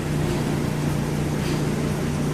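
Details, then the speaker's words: General Electric clothes dryer running with a loud, steady low drone and a fluttering rumble from a lint-clogged, unbalanced blower wheel. "amigos, el día de hoy les traigo esta secadora que está haciendo un ruido rarísimo y lo pueden escuchar."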